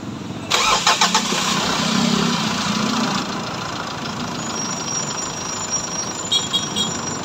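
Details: Mitsubishi Montero diesel after water pump replacement and timing cover refit: starter churns briefly, then the engine catches and settles into a steady, even idle clatter; starts and runs normally.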